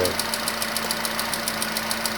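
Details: Nissan Qashqai HR16 engine at idle with a sharp, regular tick about seven times a second that persists after two engine flushes and an oil change; cause undetermined; engine knock.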